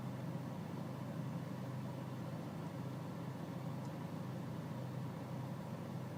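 Low, steady diesel idle with a faint uneven beat underneath and a quiet background; a rough idle, cause not evident.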